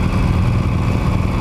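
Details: Harley-Davidson Sportster with Evolution V-twin and stock muffler, after primary chain tension adjustment, riding: deep steady rumble with clean exhaust note now audible and no chain rattle over it; primary drive sounds healthy.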